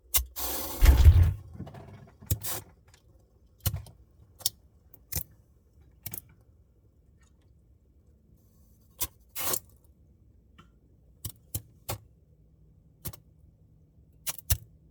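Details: Samsung Bespoke refrigerator noise: near-silent hum broken by irregular sharp jangling rattles every second or two; something loose rattling, cause not yet clear.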